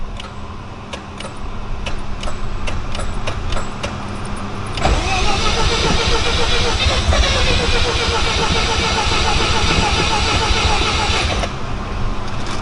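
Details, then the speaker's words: Mazda FC RX-7 with a rebuilt rotary engine, start try on a battery tender after a low battery. Quick ticking, then steady cranking that never fires. Crank, no start; lack of fuel suspected despite the gauge showing three quarters. "yeah you might need gas now I know that's fuel pressure fuel level oh no it says three quarters"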